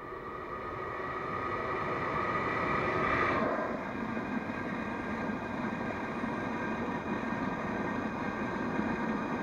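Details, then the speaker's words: Blower after replacing two bearings, run at full power: steady even rushing hum, no grinding, rattle or squeal; a little extra noise probably from vacuum. Runs smoothly after repair. "not that bad that's probably because it's like go in the vacuum or something so as you see this one works great"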